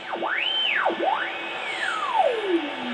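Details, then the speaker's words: Collins R-390 receiver set to 50 and tuned with the vernier to the transmitter frequency for use with a separate transmitter: a heterodyne whistle glides up and down either side of the signal, dropping low toward zero beat. Normal tuning behaviour. "and then with the verer tuning here I know this is a little crude for today's stuff but this all receiver is just magnificent you'll love the sound of it and then you zero beat it hear that see I'm going each side"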